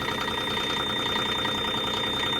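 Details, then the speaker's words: Micro digger diesel brought in dead, likely sat for a long time, started on a freezing morning: continuous high-pitched warning tone over the running engine; oil pressure warning is on but oil pressure is present, suspected faulty oil pressure switch giving a false warning. "Right, I've had that before when the engine oil pressure switch comes on, or the light comes on, but there's oil pressure."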